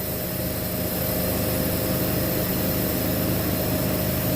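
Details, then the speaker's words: Walk-in cooler not cooling, box at 50°F: the solenoid energizes and a steady hiss of refrigerant runs through the metering device and distributor over a fan and compressor hum, with frost starting on the distributor; the thermostat was judged faulty. "now you can hear the solenoid energize you can hear the refrigerant going through our metering device through our distributor"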